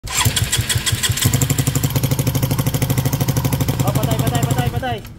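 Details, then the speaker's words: Engine repaired about ten times for the same noise: loud, rapid top-end clatter about three knocks per second over idle. Oil got past a broken oil seal, starving and damaging the cams; valve train noise from oil starvation. "mo ba kung bakit maingay ito nakalusot yung oil gawa ng sira yyung Oil Seal kakaya nasira yung Cams"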